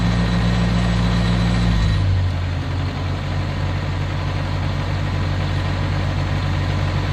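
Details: Oliver Cletrac OC3 crawler, warm after a loaded truck-drag run: a steady, even low rumble with a stable beat and no knocks or misses after a load change. Normal running, warm engine.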